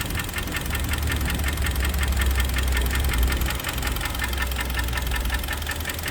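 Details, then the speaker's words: Kia Sportage 3 2.0 G4KD at under 105,000 km, warmed up before overhaul: a sharp metallic internal knock ticking two to three times a second over the idle. "Так, это сейчас холодный пуск. 105 тысяч даже нет. Веселый перестук."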